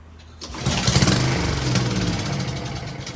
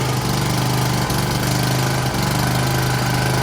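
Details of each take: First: Honda-powered Husqvarna self-propelled lawn mower that would not start: it catches and sputters unevenly for a few seconds, then dies instead of settling; starts but won't stay running. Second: Honda-powered Husqvarna self-propelled push mower, single-cylinder, after carburetor cleaning (previously started but wouldn't stay running): steady, even drone at constant speed, no misses or knocks, clean wind-down at shutoff; normal running.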